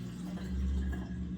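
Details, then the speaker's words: Dishwasher whose start button reportedly did nothing, draining through the garbage disposal: steady low even hum with no rattles or grinding; drain pump running normally during the drain cycle. "so I can hear the train pump running so customer complain as she hit the store button nothing happens so we're going to see what this does right now it's going through a a draining cycle it's draining the water"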